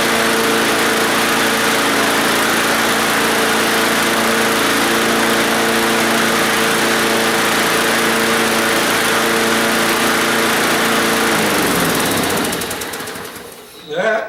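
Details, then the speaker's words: Lawn mower engine revived after sitting, carburetor primed after being bone dry, throttle linkage working backwards: a steady, even high-pitched buzz with no popping or misses, then a clean shutdown; runs smoothly. "good running motor nice and smooth no popping in all that good stuff"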